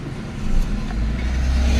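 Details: Mitsubishi Lancer Cedia after fixing a misfire on cylinders 2 and 3, with ignition coils replaced and no check engine light: deep, even rumble that swells as it revs, firing clean with no stumble. Engine running healthy.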